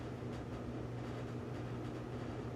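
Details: LG dryer on a preventive maintenance check, manual dry with the door open, rear heating element at about 194–200 degrees: steady low hum and airflow rush, no knocks, scraping or squeal; drum and blower run smoothly.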